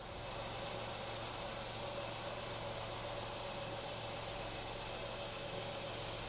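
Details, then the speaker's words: 2013 Ford Fiesta 1.0 petrol ticking over right after an oil and filter change and restart, not revved: steady even idle hum with no knocks, ticks or misses; oil pressure light out, sounds healthy. "It can take a little while to pick up. I'll just let that tick over. Sounds good."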